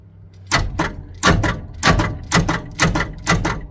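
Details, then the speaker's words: 1979 Ford F150 with the 300 straight six, sat four years: a leaking carburetor filled a cylinder with fuel and hydrolocked it; heavy irregular clunks about twice a second as the straining starter only lurches the engine. "and into a cylinder and now it's hydrolocked I was able to back the engine up just a little bit using the fan let's see what happens when I try to crank it again"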